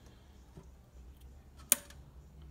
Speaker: but other times it goes all the way up and does nothing then it clicks into place and now it's primed to release your rinse aid